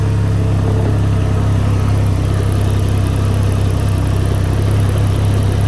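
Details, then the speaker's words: Can-Am Ryker at startup and idle: steady low engine throb with no plastic buzz or rattle, after cushions were placed between body panels; panel moves but no longer contacts other plastic. "You can see the panel moving, but it's not coming in contact with any other plastic. From where I located those cushions, seems to be doing pretty good on the vibration noise, so I'm happy with that."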